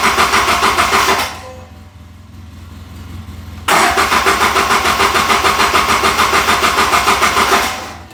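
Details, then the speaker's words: Polaris RZR 800 side-by-side that won't start; fast even cranking about three beats a second, pause, cranks again without catching; crank no-start, owner suspects fuel pump issue. "And I think that it's a fuel pump issue, but let's see what we can find out."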